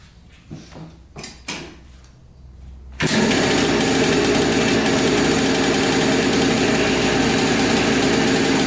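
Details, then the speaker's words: Yamaha Blaster 200 two-stroke quad that bogs and has no power, heard idling up close: busy, high-pitched ring-ding idle after a few pulls; owner suspects crank seal or air leak, air leak found. "full tons of white smoke there's an air leak right there"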